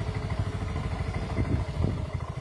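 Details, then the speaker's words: Yamaha automatic scooter that would not start after rats chewed its wiring, after the damaged wires were repaired and insulated: steady, even single-cylinder putter at idle with no misses or knocks; running normally. "Alhamdulillah sudah nyala ya kelistrikan menyala mesin menyala dan kita cek menyala juga ya jadi sudah oke"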